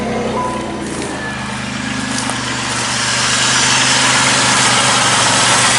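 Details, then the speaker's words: Engine just fired up after repairs, with a strong belt tensioner and a smooth belt system: steady, even idle with a constant low hum and no squeal, chirp or knock from the belts, sounding healthy. "Oh yeah. That's how it needs to be. Look at that smooth belt system."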